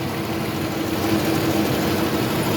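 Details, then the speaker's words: 1982 Pontiac Grand Prix 3.8 V6, first start after an oil pan gasket replacement with the exhaust pipe refitted: a steady, even idle with a smooth low rumble, no ticking or exhaust leak, and the exhaust sealed first try. Normal idle. "And put some oil in it and fire it up. Oh, I got lucky. The exhaust sealed up the first shot."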